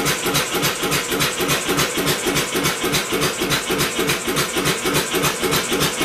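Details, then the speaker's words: Homemade double-expansion four-stroke engine converted from a two-cylinder air compressor, first start attempt: fast even hissing chuff about 207 a minute while cranking, firing only a couple of times; old plug possibly oil-fouled, unconfirmed. "well it's fired a couple of times I'm going to swap out the spark plug that's an old spark plug out of the 360 that could be oil filed"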